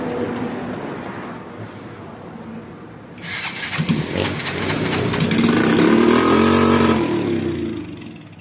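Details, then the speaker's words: Stalled motorcycle brought to shop, oil changed, carburettor refitted, first start attempt with a small test wire to a big battery: starter drags the engine slowly, about four beats a second, labouring without firing; cranking too weak. "Guys, hindi kaya yan, malambot."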